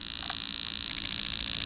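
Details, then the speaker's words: Bench test of newly built Lexus LS400 92-94 LHD engine harness: fast, even, light injector ticking over a hiss; all eight injectors working fine and fuel pump tested working. "okay so all eight injectors working just fine we tested the fuel pump that works"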